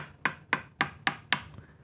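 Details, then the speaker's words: Mid-1970s Greco PB750N P Bass (Matsumoku-made), long unplayed: five evenly spaced taps side to side across a fret ring clear and bright, no dull, lower, muted sound, so no loose or lifting frets. "that's a nice, clear sound. So there's nothing that makes me immediately go, all right, there's a loose fret, it's lifting up."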